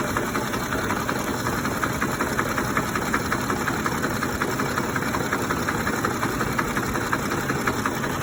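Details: 2007 Ford F-150 5.4L 3V Triton, 158k miles, warm after about 20 minutes of driving, at a stop: rpm drops, rough unsteady idle with a loose ticking rattle like an old diesel, sometimes gone after revving. Timing chain, tensioner, plugs, coils and VCT solenoids already replaced, no check engine light; cause unknown.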